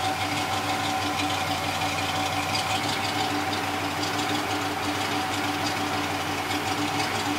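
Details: Early-2000s Chevrolet Chevy Van (Starcraft limousine conversion) on LPG that stalls and idles roughly. Uneven, lumpy idle with irregular ticking and shaking: a misfire traced to a worn distributor cap center electrode.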